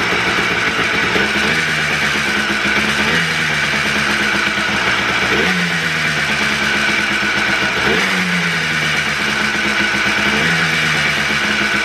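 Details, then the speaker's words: Freshly rebuilt two-stroke Blaster on its heat cycle, with the idle mixture screw set far too high. The idle revs surge and dip every couple of seconds instead of holding steady: a rough, hunting idle. "um it was idling kind of rough and i noticed that i didn't put the idle mixture screw now um where it was supposed to be at it was like really high up um so it wasn't sounding good"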